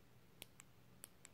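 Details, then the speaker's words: Second new replacement Nintendo Switch Joy-Con joystick, tested before fitting: four light, crisp clicks about half a second apart over quiet room hiss. Normal joystick click. "on va on va tester le deuxième est effectivement en l'entend bien"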